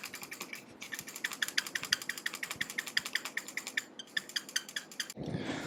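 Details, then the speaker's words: Glorious Model O Wireless mouse, newly bought: short sharp squeaks about five a second each time the right side is pressed, in a quiet room; possible hardware flaw, not yet fixed. "so you can see that um this right side has like a really squeaky sound"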